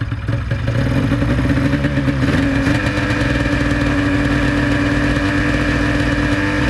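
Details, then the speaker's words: 1996 Ski-Doo Formula SS snowmobile, Rotax 670 twin-cylinder two-stroke, after 10 years in storage and carburetor cleaning: rough first seconds then steady, even run with no misses, idling around 1500-1600 rpm; bogs slightly and didn't take throttle. "I mean this is running"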